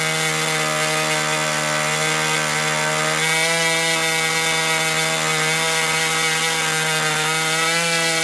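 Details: Old Austrian HP 61 two-stroke nitro RC airplane engine idling to check transition after high-end leaning: steady high buzzing idle that holds without sagging, slightly soft; low-end transition still a little rich.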